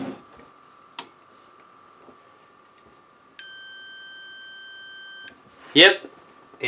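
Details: Harman Kardon PM645 amplifier, desoldered decoupling capacitor from the pre-driver circuit: steady unbroken continuity beep of about two seconds shows it is dead shorted, which blew the fuse resistor.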